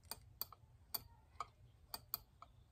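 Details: Fuel injector submerged in injector cleaner in an ultrasonic cleaner, pulsed briefly by a 9-volt battery: sharp, crisp single clicks, about six in three seconds, as the solenoid opens normally.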